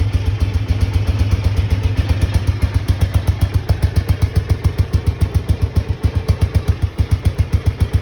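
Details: Honda XBR500 single idling with newly fitted universal Viper silencers (about 6 of 10 loudness): deep, even thumping three to four beats a second, no misses or clatter; normal idle.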